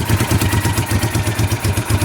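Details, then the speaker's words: 1988 Honda Bros 400 motorcycle, brought in for rewiring, starting easily in neutral: steady, even idle of about six soft pulses a second with no knocks or misses, though it smells rich. Normal idle. "Madali lang i-start. Maganda. Ayos."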